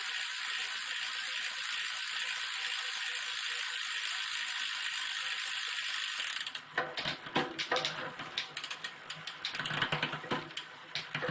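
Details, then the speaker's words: Planet X TT bike being recommissioned, gears set up after a frame recolour: steady hiss, then crisp light clicks and freewheel ticking as the chain jumps instantly across sprockets; shifting is clean and quick. "oh that's better see by the way just jumps instantly not that that noise is the uh the freewheel now caught it back up again"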